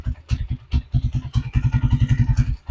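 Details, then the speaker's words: Honda TMX155 motorcycle after a tune-up, carburetor not accessible for adjustment: soft, even single-cylinder putt-putt at idle with low thumps and no ticking or rattling. The engine sounds quiet and healthy. "So, tahimik na yung kanyang makina Sariwa pa yung tunog. Ganda pa yung tunog niya mga idol."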